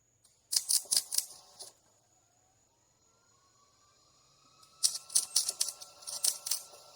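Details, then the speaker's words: MIG welding trailer main frame, 3/16in to 1/8in wall: arc spits and crackles in irregular pops and spatter instead of a steady sizzle; welder suspects thick paint, poor prep or bad ground, plans to grind. "I can't tell what is going on there? seems like I didn't prep it enough I'm going to go get the grinder I'm going to grind it something ain't right its spitting do you hear it arcing out and stuff?"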